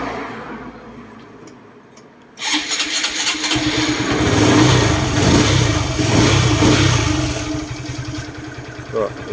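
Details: Honda MSX single-cylinder after fixing leaking exhaust valve without removing cylinder head, long hard to start, started with slight throttle to clear excess fuel: quiet, then catches into an even putter with light blip; starts and runs cleanly.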